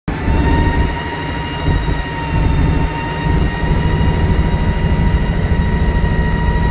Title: This weird whining noise while accelerating. Going up the hill is louder, no smoke or oil leak 🤔